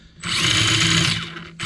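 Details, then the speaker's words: Usukani D3T RC drift tricycle with Dynamite 2-in-1 unit, first test drive: high-pitched electric whir rises sharply with throttle, eases, spins up again; moderate even speed, not crazy RPM, healthy motor. "Okay. That doesn't feel so bad. That doesn't feel like some crazy RPM we're getting out of that."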